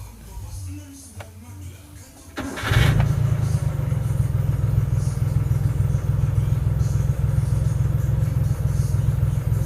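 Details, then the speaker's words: Daihatsu Hijet 1000, long unused, engine warm, fitted with an original Daihatsu rotary fuel pump replacing a weak membrane pump: a brief crank catches almost at once and settles into a steady even idle; healthy warm start. "Kita coba starter ya. Kalau mesin sudah panas enak sekali, starternya enak."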